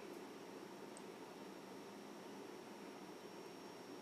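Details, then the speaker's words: Mid-2007 black MacBook 2.16GHz after cleaning and repairing its previously buzzing fan; on power-up the fan runs with a faint, steady airy hiss, no buzz or rattle, quiet normal operation. "spinning wheel it's good sign boo screen sounds pretty good and I don't hear the fan that's"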